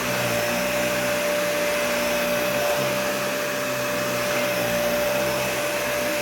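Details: Nearly new vacuum, essentially an Animal 1, with a clean filter: a steady high motor whine over a rough, uneven drone. The owner says the motor sounds really bad, cause unknown.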